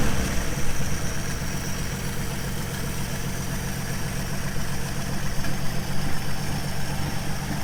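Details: 1953 Plymouth started after about ten years sitting, jump-started from a battery: low, steady idle with an even beat, no knocks or misses; runs smoothly after storage.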